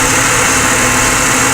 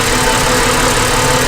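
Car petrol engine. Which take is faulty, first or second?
second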